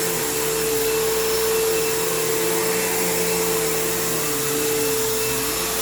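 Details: Kenmore PowerPath System vacuum on living-room carpet, just acquired: steady high whine with a wavering lower hum, a rough rumble and a long wind-down. Tired motor; the brush roll needs work and the slack belt needs changing, so it needs a basic service.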